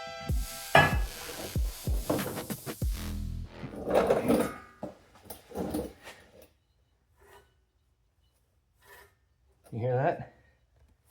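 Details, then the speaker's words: 2018 Dodge Grand Caravan rear hub turned by hand during a rear brake and hub overhaul gives a dry, gritty rasp each turn: a bad wheel bearing, hub assembly replaced. "Shouldn't hear anything. That is a bad wheel bearing."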